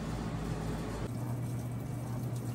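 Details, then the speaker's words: Maytag Bravos washer a few minutes into cycle, warm/cold wash, medium soil, max spin, after load sensing: soft steady rush of water under low hum, no chatter or buzzing; normal water fill. "right, so we're a few minutes into the cycle. If you can hear it adding water."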